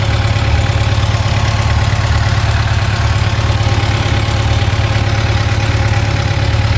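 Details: 2006 Yamaha FJR1300 idling after warm-up: steady low hum with a light, regular tick riding over it, ticking at warm idle.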